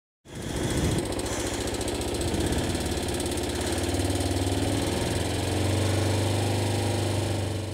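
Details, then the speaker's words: Kawasaki ZZR-250 (EX-250H) small twin at idle: fast light metallic ticking that sounds like the valves need adjusting, but the valves checked fine; the automatic cam chain tensioner, prone to clogging, is not tightening the cam chain. "One of its flaws, and I guess a flaw on most of the smaller bikes, is it uses an automatic cam chain tensioner, which tend to clog up or get dirty, and as a result they don't tighten the cam chain. On the ZZR it almost sounds like the valves need adjusting."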